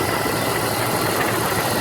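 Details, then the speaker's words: 1996 Jeep Grand Cherokee idling after replacing the power steering pump reservoir, belt tensioned by feel and refilled; sounded crazy at first start, improved after a drive: steady even idle under hiss, no knocks or misses; running normally. "Okay, it's running good now. It sounded crazy when I started it up."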